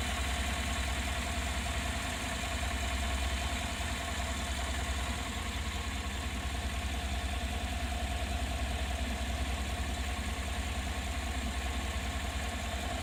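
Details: Engine idling with the hood open: a deep steady drone with a faint regular tapping about two or three times a second; an abnormal noise at idle, cause unclear.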